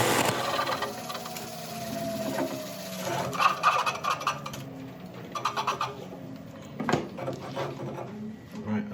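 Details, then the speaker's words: Coring system on a large natural-edge elm bowl, first time used: rough scraping cut with bursts of chatter and rasping as the blade is forced in; tool binding. "this sounds awful but I'm determined to get this through"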